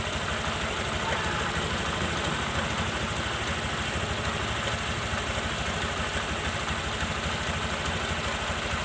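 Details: Honda New Vario 125 LED scooter started after light service with CVT cleaned, reassembled and lubricated; even quiet idle with soft regular pulse, no clatter or belt squeal, running fine.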